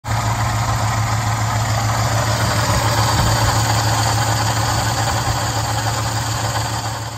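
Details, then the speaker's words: Flood-damaged Mopar 11 Dodge Charger idling before AC compressor replacement; compressor was underwater, clutch and internals now noisy; steady low hum with rough rattling drone on top, noisy AC compressor clutch. "as you can clearly hear, hopefully, in that opening video there, this AC compressor is noisy. It was underwater, and the clutches and everything just got really noisy."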